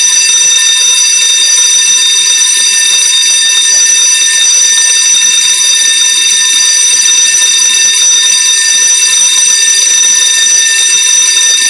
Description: Loud Fire Alarm bell going off. False Alarm , only a malfunctioning.